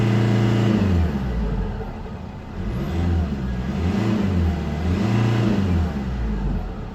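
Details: 2005 Mercedes C220 CDI 2.2 150 hp diesel, engine warning light, in limp mode capped at 3500 rpm: revs rise and fall in blips but never climb high; turbo spool-down reportedly rattles; limp mode rev limit.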